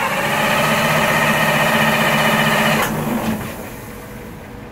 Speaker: we can see the same symptom where the engine will roll on the starter but it will not start and the fuel stop solenoid is staying in the stop position